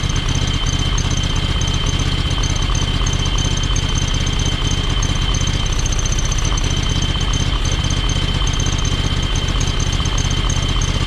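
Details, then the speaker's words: John Deere X585 riding mower, small twin-cylinder engine: uneven, lumpy idle with occasional intake-side popping; spark plugs tested fine, runs on one cylinder, owner suspects valves need adjustment. Misfire with intake popping. "You know, the fact that you can pull the plugs and it runs on, clearly runs on one cylinder. And that popping that you hear"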